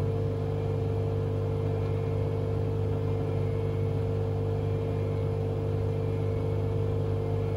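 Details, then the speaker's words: Hotpoint Aquarius WMA32 washing machine on test spin: heavy, steady low rumble and droning hum through fast spin; owner suspects broken drum bearings or a broken spider. "at the moment it does sound quite smooth surprisingly but obviously when this gets into spin it will get quite loud"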